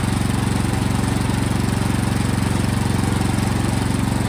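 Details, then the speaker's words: Toro Powermax snowblower after the carburetor was tightened on, so fuel no longer leaks from the seal: the small single-cylinder engine starts and runs steady and even with a firm regular beat and no misses. "all right so now the gas is coming out of the carburetor not from that seal now let's try to start it"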